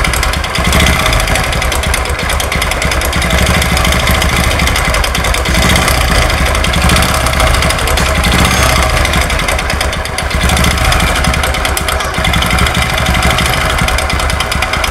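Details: Honda Supra X 125 carburetor motorcycle, history unknown: loud, harsh, rapid clattering knock throughout, much worse when revved; two knocks suspected, not yet confirmed.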